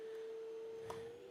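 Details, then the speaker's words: Festool CT 48 E AC HEPA dust extractor with blast gate on the front closed, producing high pressure: steady, clean high whine at one constant pitch, giving an extreme burst of air for AC filter cleaning; normal high-pressure whine. "you hear that high pressure now okay it gives you an extreme burst of air okay"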